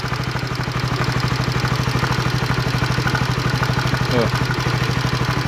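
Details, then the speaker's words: 2016 Honda CB150R idling after valve shim work: fast, even tick about three a second on every beat, from a scored camshaft bearing once starved of oil plus a damaged cam chain tensioner/stabilizer. "Sama lahar noken-nya itu, lahar timlar itu udah yang sebelah X itu ternyata sudah kegores, pernah kemakan kayak motor telat oli gitu. Jadinya seperti ini suaranya."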